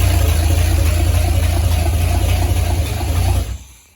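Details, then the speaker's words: Holden UC Torana first start in over 10 years, after fixing voltage drop while cranking with temporary wiring: engine runs steady and smooth with a deep note, no misses or knocks, then is switched off. "okay so after we realized that we had some voltage drop while cranking with some wire wizardry we got this thing running so now we just gotta make that a permanent"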